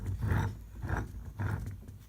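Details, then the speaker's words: Steering gearbox turned by hand during removal gives a deep groan in three slow pulses with rough, dry-sounding internals. It feels like it has no grease; owner plans to check whether it has oil. "I don't know if you can hear that noise, so I'll have to check that and see if it's got any oil in it, and take care of that."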